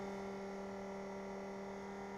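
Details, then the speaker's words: Coleman 12-volt cooler model 5640 after replacing its dead fan motor with a Mabuchi RS-365SH motor: quiet steady hum of constant pitch, no rattle or scrape; fan motor running normally. "it is fixed my friends so there we go there is a pretty simple fix nine dollars and forty eight cents gets this hundred dollar cooler working again"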